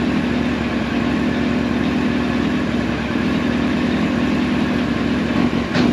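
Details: 1999 Yamaha R1 inline-four, engine rebuilt about 600 miles ago, hot, during carburetor sync: smooth steady idle, even hum, no stumbles or knocks, all four cylinders balanced; normal idle.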